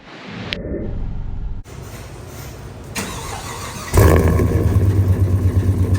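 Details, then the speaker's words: Gasoline Silverado engine with K&N intake (owner reads it as a 5.3): starts into a loud, uneven rumble with a rough rapid clatter underneath; sounds like something coming apart, a spun rod bearing. "engine okay that's loud shutting down that's that's not good sounding at all down there I mean it's it does sound good it's nice and loud but it also sounds like something's coming apart"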